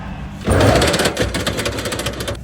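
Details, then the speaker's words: Electric tricycle rear drive, motor recently replaced, one wheel lifted and spun: fast regular clicking knock over the whirring drive, more frequent with speed; motor runs quiet unloaded, noise persists turning wheel by hand, half-shaft and bearings look fine. "速度越快，声音响得越频繁。"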